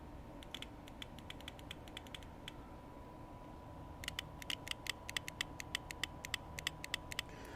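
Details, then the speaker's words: 4/5-pin automotive relay powered from a 12-volt source on terminal 86: crisp sharp clicks, several per second, each time the coil is energized; relay switching cleanly and working. "I held that up to my mic so you should hear that so it's clicking so I know it's working per se"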